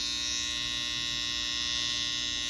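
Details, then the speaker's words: Babyliss FX trimmer, previously loud and not cutting, after fitting new oiled blade: steady even high buzz, no rattle or chatter, super quiet like when new; fixed, normal running. "Reminds me when I first got it. Super duper quiet."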